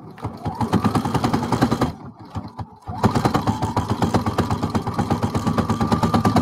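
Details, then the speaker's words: Brother HC3010 sewing machine sewing through thick fabric layers: rapid needle clatter with a deeper motor hum that slows and labours to push the needle through, then picks back up; thunk suggests the needle will dull quickly. "you can also hear the machine, I'm adjusting the speed, but you can also hear the motor working a little harder to get that needle through."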